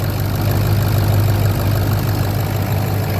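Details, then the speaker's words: 2004 Ford F350 6.0 diesel idling after first start following replacement of worn seals, O-rings and standpipe: deep steady rumble with even beat, no knocking or misses; best it has sounded in a long time. "Love it. Oh yeah. Best I've heard it sound in a long time."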